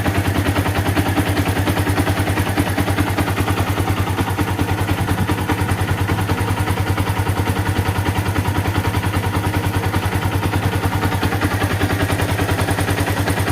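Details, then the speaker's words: Yamaha Vixion, after valve adjustment fixing left-side rattle near water pump: light, even ticking about three per second over steady idle from the head, suspected worn rocker arm bearing; connecting rod also detected rough. "Walaupun memang Sebenarnya ada sedikit menggelitik di bagian head dan itu memang seperti saya bilang tadi itu adalah bagian rocker armnya ya bearing rocker arm-nya itu mungkin yang sudah agak sedikit ya"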